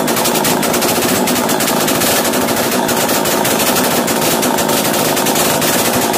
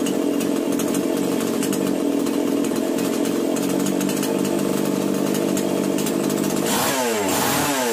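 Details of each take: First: Chainsaw started after carburettor screw adjustment: high steady buzz never settling to a slow idle; racing too high, fixed by turning the top idle screw to slow it. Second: Chainsaw after starting-problem repair and screw tightening: steady idle, then several clean rev-ups and drops with crisp throttle response; normal running.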